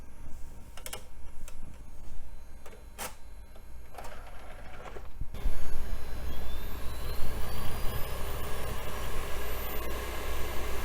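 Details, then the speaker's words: 48-speed CD drive in an old Compaq system, a little sticky and dusty: a few clicks, then a steady whir climbing in pitch as the disc spins up to full speed; a healthy high-speed drive. "well that's definitely a 48 speed CD drive that thing is running"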